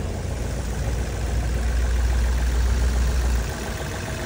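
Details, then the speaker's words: 2012 Chevrolet Cruze LTZ after repair: steady, even low idle with no knocks or ticks; earlier rough running and stalling traced to a dead sensor that set no fault code; engine now runs without jumping. "giờ là Ok rồi anh em lắp nốt vào nữa là chạy mất đà giao xe máy nổ không nhảy đi nào luôn"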